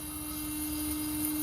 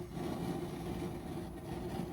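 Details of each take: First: Weber Genesis II GS4 gas grill propane regulator humming steadily with vibration, with erratic burner flame and two burners not lighting, sign of a failing regulator diaphragm. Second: Weber Genesis II GS4 propane grill after replacing a bad regulator that caused loud hissing: burners running, two full and centre low, soft even low rush of gas with no hissing or surging, blue flame; normal burner operation.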